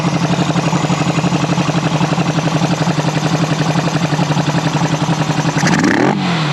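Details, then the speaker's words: 1974 Honda CB360 twin after carb work, earlier seemed to run on one cylinder (owner thinks it was flooded): steady, even beat at fast idle with no hunting or jumping before shutoff. Running healthy. "I think it was just flooded cuz now it's running the way it's supposed to"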